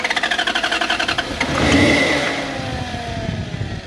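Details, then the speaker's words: Toyota 1UZ V8 in an FJ40 Land Cruiser barn find, throttle held slightly open: lumpy, uneven chuffing about four beats a second, surging into a ragged rev, as if dropping cylinders. Seized injectors were suspected, then the fuel tank; unconfirmed. "oh what we got happening here it's trying to but it's not doing anything jason i don't think we need to worry about injectors yet because it's not doing anything"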